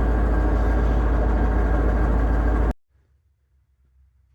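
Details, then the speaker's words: Manual gearbox on the TRKYCHT car, owner suspected input shaft bearing: steady low growl under idle in neutral with clutch released; after removal, the old transmission shows a bearing groaning noise, replacement unit bought. "Not sure if you'll be able to hear it, but there's a nice bearing groaning noise."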